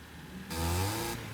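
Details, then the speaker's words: Roadkill boat car under acceleration on a road trip: engine pulls, then a loud rushing roar swells for about half a second and dies; sounded like a mechanical fan hitting something, though it shouldn't have one; cause unknown, dash lights all on. "that noise sounded like the mechanical fan hitting something but there shouldn't be a mechanical fan on this"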